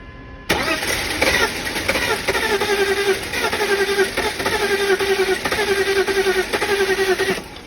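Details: BMW E46 with M52 engine, towed in after cutting out; fuel pressure confirmed at 40–50 psi: even starter cranking about seven seconds with a steady rhythmic pulse, never fires. Suspected low compression or a fuel pressure regulator fault, not confirmed.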